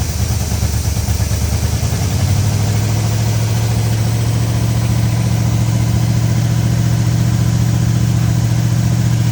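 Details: 1970 Oldsmobile Toronado 375 hp 455 V8 after years sitting in a construction yard, choke held with a screwdriver: deep idle settling into a firmer even beat; probably down one cylinder; compression test planned.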